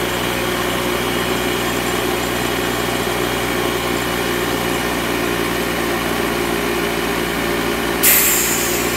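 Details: Secondhand air compressor found to work: steady, even motor drone with busy pump chatter and a short hiss near the end, running and compressing air. Owner suspects a possible issue with the shut-off mechanism.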